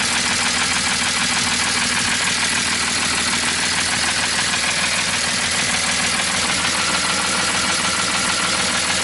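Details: BMW E46 with welded differential, after rear trailing-arm bushing replacement and a test ride: a constant quick tapping runs through the idle at about 200 a minute; abnormal engine noise, cause not yet pinned down, owner fears damage.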